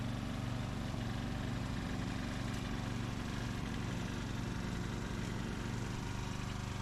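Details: 2004 Craftsman 30-inch mid-engine riding mower built by Murray, after a new piston and connecting rod and a kill-wire short fix: steady single-cylinder putter at constant speed, no rattle or knock; normal running.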